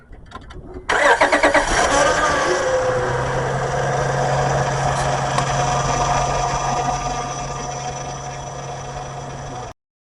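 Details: Engine started after a starter replacement; brief quick cranking, then it catches at once and settles into a smooth steady idle: clean, normal start.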